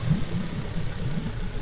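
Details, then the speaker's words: Suzuki DF70A four-stroke outboard idling after a cheap coil pack wiring repair fixed a consistent misfire: low, even burble with no stumbles or skips; runs smooth on all cylinders. "Sounds pretty good. No more misfire, idling smooth."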